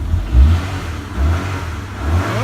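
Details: Honda car with ECU immobiliser disabled and new battery, first start after being unable to run: engine starts, takes a few quick throttle blips with revs rising and falling cleanly; runs fine.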